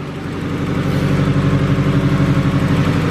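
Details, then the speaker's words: $500 Honda Del Sol, first start after reassembly with timing belt, hasn't run in a while: steady idle with quick even puffing tick about four times a second; exhaust leak at the header. "yeah it sounds like there's a header leak right in here somewhere"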